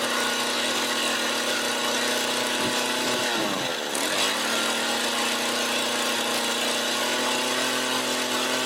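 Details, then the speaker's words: Mac GHT 17 hedge trimmer (17-inch bar) two-stroke, after new fuel lines and carb rebuild, first start after prime and choke, warming up: fast even buzz settling after a brief waver; idles cleanly and evenly. "And we got an idle. All right, I'm going to let it warm up a little bit longer and then I'll bring it in, put the rest of the stuff on, get the chain lube, and restart."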